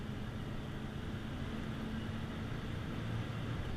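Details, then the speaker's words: 1996 Ford F250 4x4 with 460 V8 and overdrive automatic under hard throttle: muffled steady engine and road rumble, strong quiet pull, smooth consistent shifts, no knocks or clunks, normal acceleration. "I me it pull is nice and strong really quiet just smooth consistent shifts"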